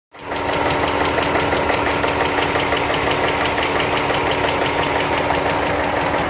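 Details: 01 VW Mk4 GTI VR6, swapped engine with 120K miles and timing chain done: steady light rapid tick from the top of the engine, constant with revs, caused by a collapsed intake-cam lifter that wore the cam lobe.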